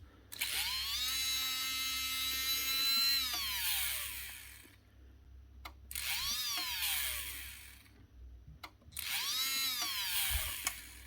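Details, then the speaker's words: 2024 Makita DBO480 cordless sander, dropped, on bench power supply at up to 4 A: three start attempts where the whine climbs slowly and sags, struggling to reach speed; suspected motor damage from the drop, brushes seemingly not sitting right. "There's something wrong with it. And I think the problem might be the motor. I think this thing's had a drop. brushes inside just do not seem to be sitting exactly right."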